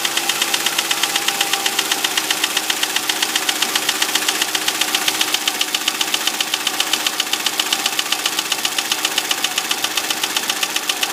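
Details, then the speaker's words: 2005 Audi A6 C6 with the 2.4 BDW engine, bought with a knock the previous owner called hydraulic lifters. At idle there is a sharp, regular metallic knock near 110 per minute that does not fade. "Стучит двигатель. Сегодня задача определить, что это, по возможности починить. Сейчас заведу, послушаем."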